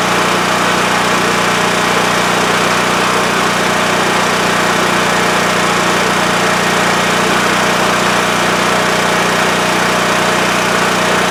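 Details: WEN TF1450X 14500W tri-fuel generator that used to lose spark and shut off after 20 seconds, after repair: loud steady drone holding one speed, no surging or cutting out; running normally.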